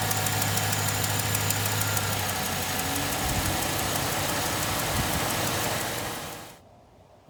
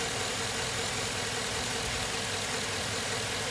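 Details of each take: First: 2007 Suburban V8 with about 213,000 miles, at idle before motor flush and oil change: loud, even lifter tick about four a second; valve covers checked, no lifters collapsed, owner suspects clogged lifters. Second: 2007 Suburban V8, about 213,000 miles, idling after motor flush, Lucas heavy duty oil stabilizer and oil change, AC off: steady even hum, previously loud lifter tick (lifters not collapsed, suspected clogged) now completely gone.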